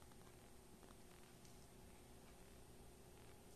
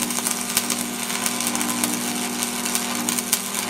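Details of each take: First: Lincoln Tombstone 225 AC buzz box stick welder on a 30-amp dryer plug, switched on before repair: only a very faint low transformer hum, with the fan at about quarter speed. A huge transformer hum is expected, so the weak hum shows a fault. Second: Lincoln Tombstone 225 AC buzz box stick welder: a few seconds of loud crackling sizzle over a steady mains hum, then only the hum. It strikes and holds a normal welding arc.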